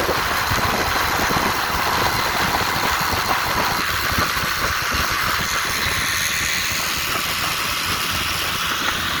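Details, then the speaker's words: 1958 Johnson FD-12 18hp two-stroke outboard running across a lake on a Sea Nymph 14R: even, buzzy drone at steady speed over wind and water noise, no misses or knocks; normal running. "It actually started when I got the motor. It had been sitting for a lot of years, and it fired right up. So it's a good runner."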